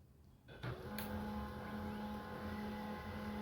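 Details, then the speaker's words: HP LaserJet 1020 printer after the grinding and scanner noise fix: a steady, even hum with a soft mid-pitched tone and no grinding or knocking; the internal mechanism now runs smoothly. "अब इसके अंदर का आप sound देख रहे कितना smooth sound आ रहा है इसके अंदर का।"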